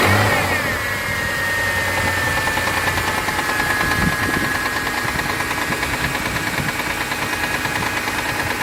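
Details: Mitsubishi 6G72 V6 at cold idle. A quick, fairly even ticking of about three per second sits over the engine hum; it lasts 1-2 minutes after a cold start, then disappears. The owner suspects the hydraulic lifters, unconfirmed.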